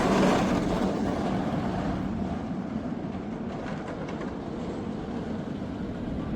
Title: Batman The Ride at Six Flags Magic Mountain Made A Strange Rattling Noise In Park Yesterday 🎢 🚩